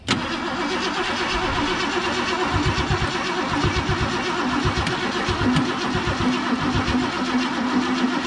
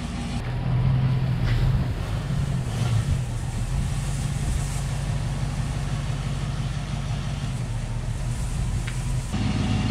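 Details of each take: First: 1969 Mercury Cougar SS, 351 Windsor 2V V8, sat about 20 years, on jump box: starter churns in a steady rhythmic whirr but never catches, good oil pressure; crank no start, the gas tank pickup was found plugged. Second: 1969 Mercury Cougar Sport Special, 351ci Windsor 2V V8, first test drive after sitting 20 years: deep, even V8 rumble rising and falling smoothly with throttle, no knocks or misses; runs great, though brakes are weak and dragging.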